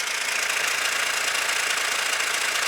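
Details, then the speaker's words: 2016–17 Hyundai All-New Tucson diesel, 1.7 engine with DCT: fast, dry metallic rattle at idle, like two parts knocking, which goes away when revved; suspected play between DCT clutches 1 and 2, not confirmed. "뭔가 이렇게 두개가 부딪히는데 타이젠 트 그런데 나는 게 바로 dc term 문제라고 좀 될 거에요"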